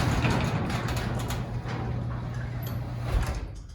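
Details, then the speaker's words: Garage door opener closing after lift rod adjustment to vertical: steady motor drone as the door comes down, settling onto the seal with only a soft bump; before the tweak it banged at the bottom, now closes gently. "I can hear it, the seal just bottom out, just hit. And it's so gentle and everything now, it doesn't go bang."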